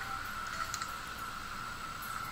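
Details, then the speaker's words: Wii U disc drive after repair of grinding noise and invalid disc errors: steady even whir, nice and smooth, no grinding; disc reads fine. "that's the sound of a pug in the background that is not the disk drive nice and smooth"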